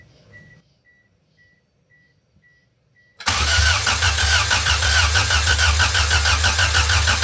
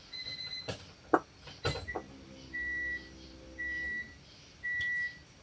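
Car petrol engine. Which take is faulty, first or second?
first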